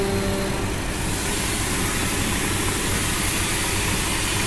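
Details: 2008 Chrysler Town & Country/Caravan petrol engine idling rough with choppy low rumble; misfire codes despite new spark plugs and replaced throttle body, high airflow, both O2 sensors dead, vacuum leaks suspected.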